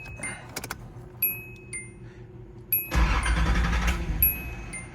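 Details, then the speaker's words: 1985 Nissan 300ZX, about 150,000 miles, sat two to three years, new fuel pump and clutch master/slave cylinders: chimes and keys, then short crank catching cleanly into steady low idle; starts normally, faster than before. "well that actually started faster than that last time there we go that's what it did the first time"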